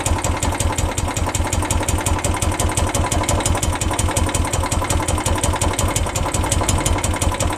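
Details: 2012 Royal Enfield Classic 350 single-cylinder idling with a steady thump and a sharp rapid ticking clatter riding on top, abnormal engine noise.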